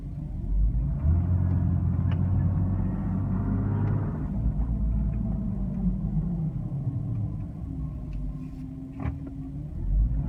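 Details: 2002 Porsche 996 Cabriolet while driving: deep rumbling drone that swells and eases with road speed, with an uneven throb underneath; strange noise, source not clear.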